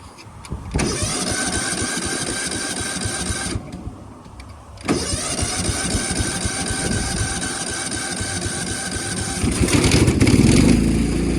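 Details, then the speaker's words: 1999 Cub Cadet HDS 2135 riding mower, cold start after refire: fires, stalls briefly, restarts and settles into steady, even single-cylinder idle with no misses; owner says it purrs, normal idle. "Listen to that Cub Cadet purr. That was on the cold start too."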